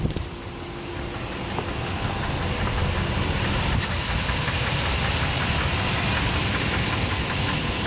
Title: 2007 Nissan Titan engine knocking noise